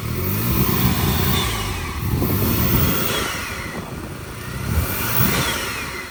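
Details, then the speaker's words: Vauxhall Corsa VXR with a replacement engine after a blown head gasket, exhaust refitted, run briefly with no coolant: the engine settles into an even idle with gentle rise and fall and no knocks or rattles. The engine sounds solid. "There you go, that's it idling. Like I say, you need to clear these cords, but that's a solid engine right there."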